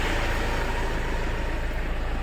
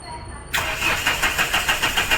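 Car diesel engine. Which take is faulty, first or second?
second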